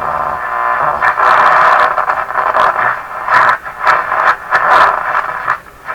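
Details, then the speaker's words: Canadian RCA Victor Model 5T5 radio after replacing paper/wax audio capacitors past the detector: music clean and full with light station static, no hum or crackle; normal audio output. "so the audio circuits in here are working good and I'm not sure there's anything that needs to be checked"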